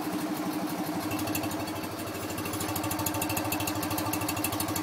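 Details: BMW R50 boxer twin at first start after full restoration, with a cooling fan whooshing: a loping, slightly uneven idle that holds steady. It is a healthy old boxer settling in.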